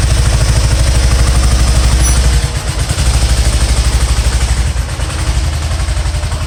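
Deep engine beat with an uneven, stumbling pulse, beats dropping out and level sagging every so often; it's misfiring.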